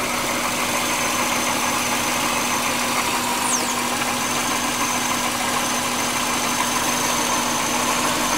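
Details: 1999 Subaru Legacy Outback wagon, EJ25D 2.5L DOHC, 374,200 km: intermittent loose, irregular knock at idle only, concentrated at the rear driver's side; idle recently rough with more vibration than usual; source not pinned down.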